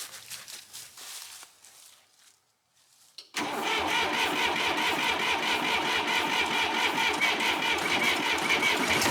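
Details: John Deere 350B bulldozer, first start after engine rebuild with new OEM head gasket, full of coolant and oil: cranks briefly, catches, settles into a steady even diesel clatter at idle for break-in; starts and idles normally.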